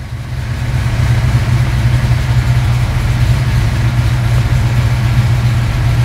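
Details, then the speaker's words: V8 running FiTech EFI with the distributor locked out and the FiTech computer now controlling ignition timing; deep steady idle burble with a smooth even beat, timing advance bouncing around at idle as it should; healthy idle. "there's our Advance doing his job it should bounce around while it's at idle how cool is that"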